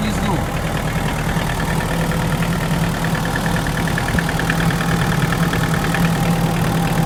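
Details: Hyundai Porter diesel idling with a dull, loosely rhythmic knock over the clatter, about three per second. It is heard from below and persists even after an engine replacement. Nobody can identify the cause.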